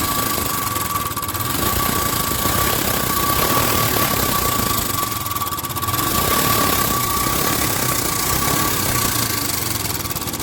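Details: Royal Enfield Bullet Electra 350 UCE (2017) after fixing loud tappet noise: steady single-cylinder thump at idle with only a faint light tick, no loud tappet clatter; valvetrain sounds fine.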